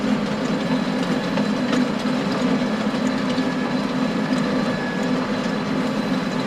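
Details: Stones rattling against the rotating power harrow tines behind a John Deere 6920 tractor in very wet ground, scattered hard clicks and knocks over a steady tractor and gearbox drone.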